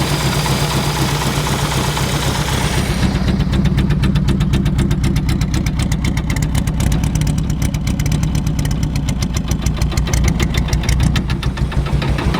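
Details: MK1 Mini Moke, engine seized from sitting and freed with a wrench on the crank: a steady, low, even beat at a fast idle with a clean regular pulse and no knocks or rattles; normal running.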